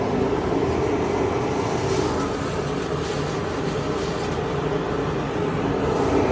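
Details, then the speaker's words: Homemade dust collector blower fed by planer vent through new pipe system with foam-sealed joints, tested with a handful of wood chips: steady full-throated roar with chips rattling through at full flow; works perfectly, normal operation. "That works perfect. Does exactly what I want it to do."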